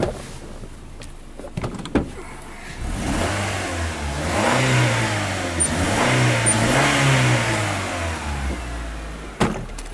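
From idle the revs climb unevenly, wavering and stumbling as the throttle opens, then settle back, so it misfires under acceleration.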